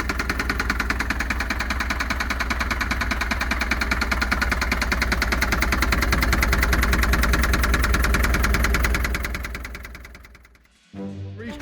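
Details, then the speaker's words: Land Rover Series III that sat in a yard for years: heavy, even knock about three a second over a rough idle. It runs poorly and revs badly; the knock is suspected to be top end or cylinder head, not diagnosed. "I'm not sure what that knocking is but it sounds like a top end knock"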